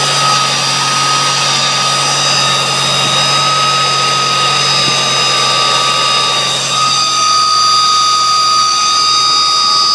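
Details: Supercharged engine running: steady high-pitched whine at nearly constant pitch; owner says it doesn't sound like the supercharger's whine, cause unknown.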